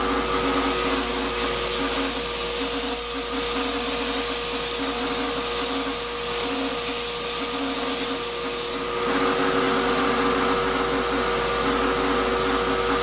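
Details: Shop-Vac vacuuming coarse grit from a rock tumbler: steady rough whir with thin whine at constant pitch; owner says dust previously pulled through the motor before adding a dust separator pretty much destroyed it. Grinding motor whine.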